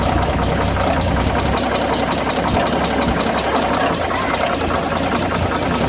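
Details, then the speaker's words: Dodge WC52 engine: rapid regular clacking with a scraping rub over a rough idle, repeating at engine speed. The noise is noticeable on deceleration, and its source is not yet identified. "on l'entend comme un bruit de claquement, de frottement. Quand on prête bien l'oreille. On entend bien le fameux bruit à la décélération."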